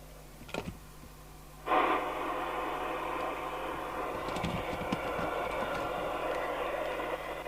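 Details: York JCB861 CB27/81 UK FM CB radio, after replacing an electrolytic capacitor in the PLL/VCO section to fix no transmit or receive: a steady, clean hiss and received signal through the internal speaker with no crackle or distortion. The speaker works normally.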